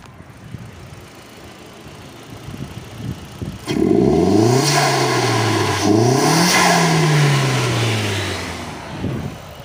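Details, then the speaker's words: SEAT Leon mk1 1.8T with new TIAL relief valve refitted with original spring and shims: clean rev rising and falling smoothly, holds speed steadily with no stumble or drop-off; runs evenly and healthy. "Parejito, banda. Se escucha parejito, la verdad. Vamos a acelerarle. Se escucha chido."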